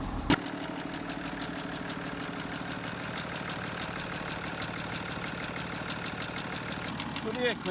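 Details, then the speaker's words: BMW F10 535d diesel, about 100,000 km, at a cold idle; the noise appears only in the morning and fades once warm. Light, uneven ticking at about three per second from the valve gear; a timing chain was suspected, but the cause was a dislodged rocker arm. "현재 이 차량은 엔진 숨이 좀 이상해 썼어요 다시 한번 들려 드릴게요"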